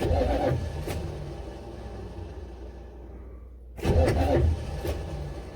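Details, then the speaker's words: Buick Electra 5.7 diesel, cold start attempt with starting fluid, slow uneven cranking bursts that stop and restart, never catches; owner suspects weak starter not cranking long enough; crank no start. "so i just don't don't get why it won't fire well i know why it won't fire because that stupid starter won't crank it over fast enough or not necessarily fast enough long enough"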